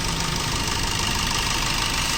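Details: Maruti Suzuki Swift at steady idle: a fine, busy ticking over the engine hum. The knock source is unclear and injectors are being removed for checking; cause is suspected, not confirmed.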